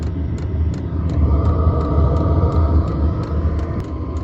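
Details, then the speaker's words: Vevor 5 kW diesel heater restarted after a year unused, drawing about 160–168 W at startup; steady combustion roar with the fuel pump ticking about three times a second, no misfire or surging, heater runs fine. "ça on entend la pompe qui commence à pomper toc toc ça commence à chauffer on entend là c'est la sortie que j'ai hte de voir là quand est-ce qui commence à chauffer, tout fonctionne."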